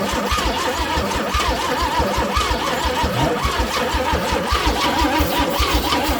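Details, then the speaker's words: Chevrolet C10, plenty of fuel but spark suspected: starter cranks the engine at an even, slightly uneven pace for a long stretch, cables getting hot, never fires; crank no start. "Yeah, something is not quite what it needs to be. Yeah, it's getting hot on the cables there. That was a long pull."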